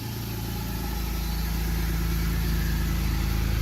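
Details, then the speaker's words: BMW E46 after engine replacement with new motor installed: smooth, even, quiet idle with no ticking or tapping over the top end; earlier noise is gone, engine sounds healthy. "oh yeah that is quiet now"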